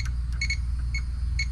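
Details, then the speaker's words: Ford Crown Victoria P71 police interceptor, power jumped straight to the door window motor with the engine idling: short, sharp metallic clicks and no motor whir. The motor is seized, bound up. "So, I'm just kind of jumping power to it, and it's not moving, but I can hear it clicking."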